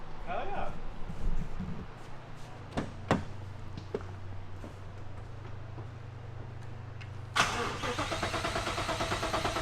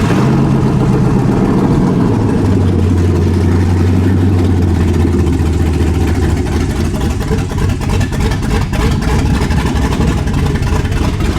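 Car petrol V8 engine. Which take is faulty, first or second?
first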